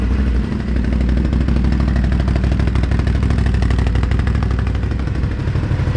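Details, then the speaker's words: 2017 Can-Am Outlander 1000 at 2k miles, running after first valve adjustment (exhaust .006", intake .004") and radiator refill: deep, even V-twin thrum at steady speed, no ticking or clatter; runs smooth. "This will be started up after adjusting the valves."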